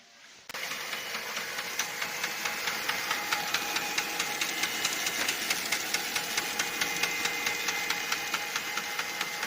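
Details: Lexmark X364dn printer with regular gritty clicks about twice a second under the motor whir throughout the run; replacing the fuser and main drive did nothing, replacing the faulty duplex assembly solved it.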